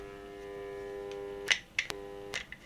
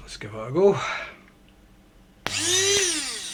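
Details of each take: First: TEFAL coffee grinder powered on: steady low electrical hum or buzz with no blade spin-up; the motor hums but does not turn, shaft seized. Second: Tefal coffee grinder that previously only hummed, after freeing the seized motor shaft under the base label: short bursts then a steady, even high whir, no buzzing or labouring; motor spins freely and normally.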